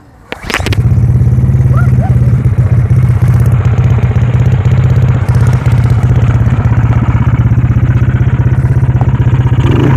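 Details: Motorcycle with a weak battery that won't electric-start or kick-start, started by pulling a roughly 3 m rope wrapped around the fan; a sharp clatter as it catches, then a steady, even low putter; running normally.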